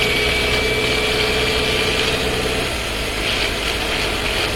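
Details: Skoda Scala 1.5 TSI, dry-clutch DSG, new car about 3500 km, heard in cabin: loose, uneven rattling over a faint whine under light load.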